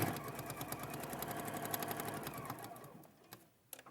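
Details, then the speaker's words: Sewing machine foundation paper piecing, stitching a couple of stitches before and beyond the line: fast, even needle ticking at a steady pace, then it slows and stops with a few clicks. Normal stitching. "take it to the machine and again always sew a couple of stitches before the line and then a couple of stitches beyond the line"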